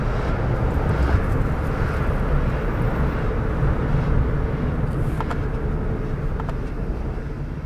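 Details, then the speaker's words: Suzuki Alto Turbo RS automated manual gearbox after servicing with Motys M301 ATF: steady road and engine rumble with no tap noise or clunks through the gears; much smoother, more responsive shifting. "in man new mode it's it's much smoother very much more responsive"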